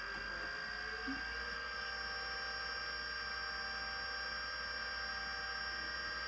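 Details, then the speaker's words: 1980s Miniscribe 5.25-inch hard drive at spin-up: steady high whine with a buzzy edge, then it stops. Not thought to be a head crash; suspected spindle noise, and the stepper is stuck. "I don't know if that sound is a head crash. Does not really sound like what I would think a head crash is. Oh yeah, no, it's not, because it just stopped. It's something from the spindle, I guess."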